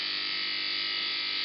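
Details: Motor from a 1950s Federal Beacon Ray after repairing heavy neglect runs strong with a smooth, steady high-pitched whir, no scraping, rattling or speed wobble; slight brush noise expected to fade as the brushes seat.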